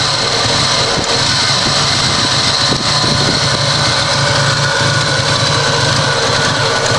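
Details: Toyota Supra idling loud with an uneven, lumpy beat and a buzzy high-pitched note; the idle is very rough, cause unknown.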